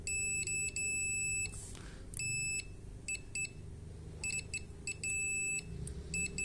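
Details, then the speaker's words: Car alternator stator tested with a multimeter: short sharp beeps, one per probe touch on each coil, with no dropouts; all windings show continuity. "en todas hay continuidad."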